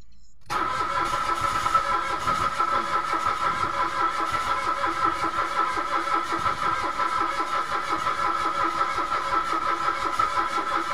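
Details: Mitsubishi Mirage automatic: even starter cranking drones on for ten seconds and never catches. No fuel was coming out of the pump despite a new spark plug; the no-start was traced to bad relays.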